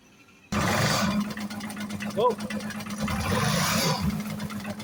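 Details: Evinrude 175 outboard with hard starting: engine catches quickly, then runs with an uneven, stumbling beat and occasional dips in its note; misfire.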